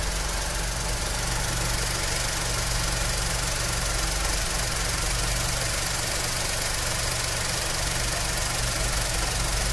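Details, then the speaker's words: Skoda Fabia with an overheating complaint, heat warning light and low coolant, engine held at raised rpm to warm it: the automatic radiator fan has switched on and runs with a strong even whoosh, working normally. "अब देखते हैं हमारा cut off होता है की नहीं क्योंकि इसको इंजन ठंडा करने के बाद ऑटोमेटिक कट ऑफ हो जाना चाहिए"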